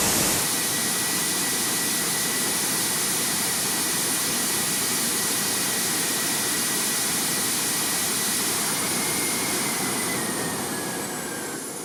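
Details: Homemade jet motorcycle turbine with rebuilt afterburner, tested in a garage: loud, steady jet roar with a faint high whistle, no popping or surging, easing off at the end; stable afterburner that no longer blows out at any speed.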